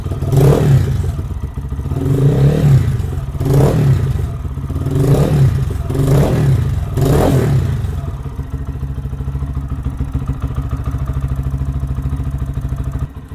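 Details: 2023 Lifan KPM 200cc single-cylinder motorcycle started after valve clearance adjustment and timing check, fuel line refilled; steady idle thump with quick blips revving up and settling cleanly, no fuel or oil leaks; normal running.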